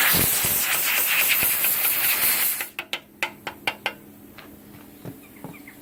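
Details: CUT50 plasma cutter using welder's earth lead (earlier barely-touching issue resolved): loud rough hissing cut that suddenly stops, then sharp irregular snaps; unstable arc melting metal and consumables, cuts messy and inconsistent.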